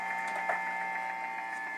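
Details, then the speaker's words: Guitar amp cranked up through a wah pedal, near a Wi-Fi unit: steady electronic buzz with rhythmic fast fluttering clicking, louder and faster as the pedal nears the unit; Wi-Fi interference noise. "you hear this attack attack attack attack rhythmical clicking sound it goes through the wah pedal now so it's less noticeable in this position but this is how you can hear it so that's the wi-fi unit"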